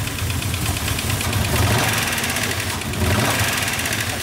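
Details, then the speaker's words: Mercedes ML500 5.0 V8 running rough with a persistent sharp knock at idle; compression test shows zero on cylinder 3 of the driver's-side bank. "Elle tourne mieux. Ouais, mais bon, il y a toujours le claque, hein."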